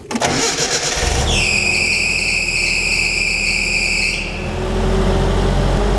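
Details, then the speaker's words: 1984 Nissan Bushmaster conversion pickup with fuel pump hardwired to battery: engine cranks and catches, then a loud steady high belt squeal for about three seconds. "You can hear a belt squeal. We all hear that. It's going to be solved while that's here."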